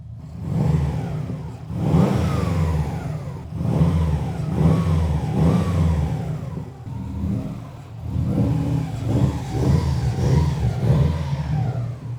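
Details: 2007 Subaru WRX STI after an engine rebuild from a blown motor, oil pressure at 100 psi, small oil leak suspected at a crush washer: repeated clean throttle blips rising and falling smoothly with no knock or rattle; a healthy engine.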